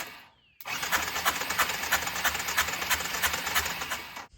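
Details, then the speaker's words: 2005 Arctic Cat 400 4x4 automatic ATV, sat about two years, cranked on a borrowed jet ski battery: slow, labored cranking with rough clattering bursts about three a second that never catch; the starter solenoid needs replacing. "All right, well that starter solenoid definitely needs to be replaced."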